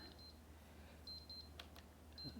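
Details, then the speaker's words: Cuisinart DGB-625BC Grind-and-Brew coffee maker beeping in repeated high pips about once a second while the grinder won't start; warped grinder lid keeps the safety switch under its button from closing. "this is a Cuisinart I forgot the model number I didn't look it up just turn that off so the grinder won't start you can see it should be on solid red I imagine maybe you can hear that beeping"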